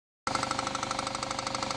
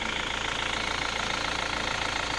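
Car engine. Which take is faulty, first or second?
first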